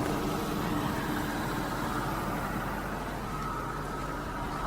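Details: 2001 Lincoln Navigator, Triton 5.4 V8, at idle with quick light tapping about four a second over a steady hum; ticking of unknown origin.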